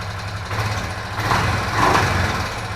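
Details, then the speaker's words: Foreman 500 ATV single, refurbished, started without choke or primer: rough, uneven idle swells and fades with a couple of sharper pops; owner suspects valves, cause not confirmed. "Well, listen to that. Got a little pop there. I had to bet, I bet that's a valve."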